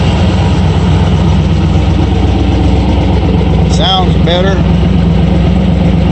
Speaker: still got a little bit of smoke i still need to get in there and do those accelerates really good it comes right down with good idle